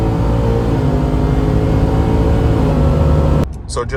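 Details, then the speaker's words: Stage two Whipple supercharged 2022 Ford F-150 5.0L V8, replacement engine with long tube headers: deep, loud rev held strong and even for several seconds, no knocks, misses or rattles; healthy. "but when you when you open it up obviously it's a little bit louder but I think it's good so this is a stage two Ruble supercharged F-150 2022 5.0 liter V8"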